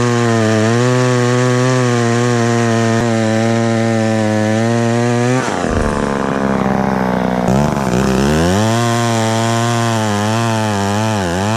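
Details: Very small chainsaw found in the trash, never repaired and not run for years, started easily without starting fluid. A steady high buzz dips briefly as the chain bites, then recovers cleanly. Strong, healthy two-stroke with normal power.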